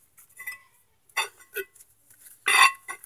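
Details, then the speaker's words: 2003-2005 J-Body rear disc conversion with Neon rotor, wheel turned by hand: separate metallic scrapes each turn as rotor catches caliper mounting bolts. "The caliper we're rubbing up on the top there, that's expected, to be honest. But the issue I have with this neon rotor is the mounting bolts for the caliper."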